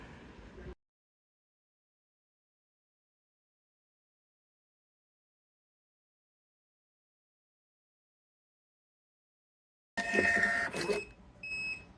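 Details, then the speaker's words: TVS RP3230 3-inch thermal receipt printer, buzzer enabled in the driver settings: silence, a short print burst, then three clipped high beeps. The buzzer signals a finished print, working normally. "Okay നമുക്ക് three times deep sound ഇവിടെ കേൾക്കാൻ സാധിക്കും okay"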